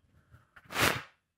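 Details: Keezer CO2 gas bottle feeding new secondary regulators set at about 20 psi: short soft rush of gas swells and fades over half a second; normal flow through the regulator, no leaks or chatter.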